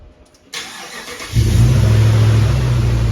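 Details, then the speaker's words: Hemi-swapped Grand Wagoneer V8 restarted hot after its longest run since the fix, where it previously needed gas, blamed on raw fuel: a short crank, then it catches at once and settles into a steady idle without throttle, a normal hot start. "Shut it off. See if it'll crank back up good. We've been having to touch the gas, but I know that was because there was raw fuel in the..."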